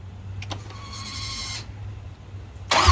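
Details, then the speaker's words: 1968 Bronco with Coyote fuel-injected engine, first start attempts via a fabricated starter button: short cranking bursts, a brief catch, then a rough burst; engine wants to run but runs poorly. Later found green gas in fuel rail; injectors and rail cleaned. "So a couple of hits of the fabricated little button system I made up, and the engine sounded like it wanted to come to life."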